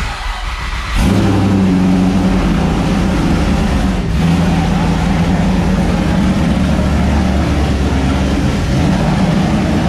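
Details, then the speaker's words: 1999 Mustang GT (SN95) freshly swapped to a new 5.0 Coyote V8, first start, no mufflers, JLT cold air intake, untuned: loud raw V8 with uneven lumpy idle and slight hunting. Owner suspects intake airflow upsetting the computer; needs tuning. "so obviously we still have no mufflers hooked up and need a little bit of tuning the i think the all the airflow from the jlt cold air intake is thrown off the computer a little bit"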